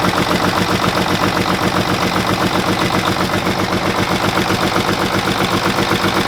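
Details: Mack truck diesel just started on jumped batteries while being bled: choppy, lopsided beat with an even gap every firing cycle, about four lumps a second. Number six cylinder is dead, with no fuel coming out at the rack control.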